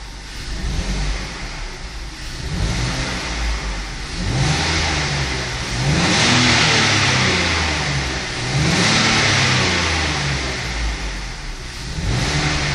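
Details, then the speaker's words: BMW 520i E60 2.2 M54 revved in repeated blips: idle steady but between 600 and 1100 rpm it stumbles and bogs unevenly; owner suspects an extra air leak (vacuum leak, ICV, DISA or a sensor), not confirmed; stored faults only stability control and climate. "O relante até está estável, mas ao acelerar entre as 600 rotações e as 1100 parece que abafa, falha, abafa."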